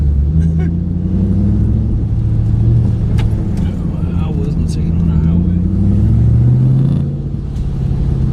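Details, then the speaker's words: 2008 Ford Mustang GT driving after MSD Blaster coil-on-plug install replacing coils (dealer reported 5 bad); it used to start misfiring by now: deep, smooth V8 rumble rising and easing with throttle under load, no stumbles or skips. "Although last time, by the time I got here on the last ride, it had already started misfiring. It's not doing that right now. So far so good."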